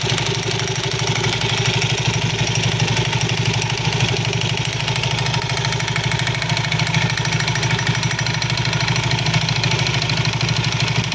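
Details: Soul GT 115 scooter at idle: a fast uneven klotok-klotok clatter over the idle from the CVT rather than the engine. Usually caused by looseness or wear in certain CVT parts; cause suspected, to be checked.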